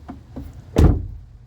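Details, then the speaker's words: 2014 Honda CR-V EX AWD door: door slams with dull hollow low thud like a drum instead of solid latch; damaged door skin separated from frame reverberating, to be filled in the gap. "hear that sound there's like a like a wump it's it's this you can hear that here's how it door should sound solid so plan is to put this stuff in that Gap to try and stop the reverberation"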